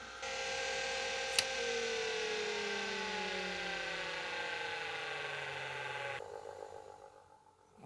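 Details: Atari Megafile 30 hard disk, mains powered, being switched off: high multi-tone whine slides steadily down in pitch as the platters coast, then cuts off to quiet; normal spin-down.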